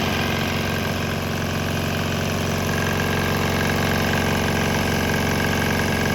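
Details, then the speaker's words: Swan X 165F Chinese single-cylinder diesel on straight used canola fryer oil, some residual diesel still feeding; steady even clatter at constant speed with no misses or surges, running smoothly on vegetable oil. "I think I'm still running some of the diesel through it, but there was a little bit of diesel in the tank still below that level, so it wasn't completely gone, but 90% of it was gone, so it's running fine."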